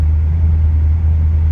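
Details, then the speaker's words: Car before teardown, at idle before warm-up: low rumble with an occasional uneven beat and stumble. The miss is present at idle whether the choke is on or off, but unnoticeable under heavy throttle. Cause is unknown. "one of the reasons I'll be doing a lot of work on this thing is the engine's got a miss odd because it's very present at idle even when the joke's on or off"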